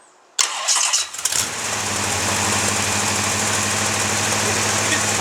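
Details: 1979 Oldsmobile 403 V8 on a homemade engine run stand: short crank, catches right away and settles into steady, even idle with no misses or knocks; normal start and idle.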